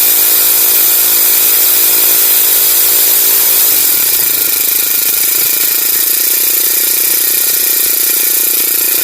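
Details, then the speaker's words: Honda GX35 grass cutter after carburetor cleaning: small engine holds a clean high buzz, revs smoothly without bogging or stalling; no longer starving or cutting out at full throttle as before, idle lowered. Normal running. "hindi na siya kinakapos guys h na siya kinakapos lilinisan lang natin yung karburador niya"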